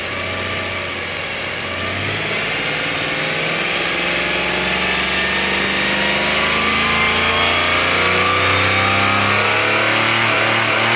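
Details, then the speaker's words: 2008 Subaru Outback EZ30 flat-six petrol boxer running with the serpentine belt off, no accessories dragging it: idles smoothly, then revs up evenly with no power steering whine or squeal; normal engine sound. "Now, what this video is about is to hear the engine without any of the accessories dragging it down."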